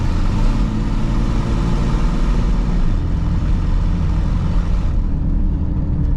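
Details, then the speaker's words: 2002 Chevy Blazer 4.3L V6 Vortec with the O2 sensors pulled out, driving. The exhaust is a deep, loud, raw rumble vented open ahead of the catalytic converters; the engine now runs wonderfully, showing the cats are clogged. "Oh, that sounds wild. Okay, I think we found our problem. The cats are absolutely clogged up cuz it's driving wonderfully now."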